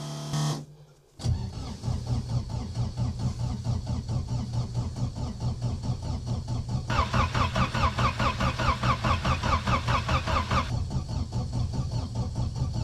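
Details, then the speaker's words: Diesel in winter, cold start after repeated glow-plug heating: steady starter churning about two and a half beats a second, never catching; no signs of life, cranks without starting. "Bez dzīvības pazīmēm. Pamēģināsim vēl pasildīt sveces."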